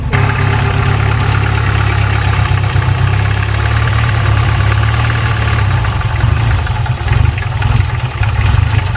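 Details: 1993 Volvo 245 turbo-swap wagon with a fuel problem, fuel pressure regulator vacuum line plugged. Deep idle drones unevenly and falters after a few seconds, with piston slap noted. Stumbling idle; the regulator is suspected but unconfirmed.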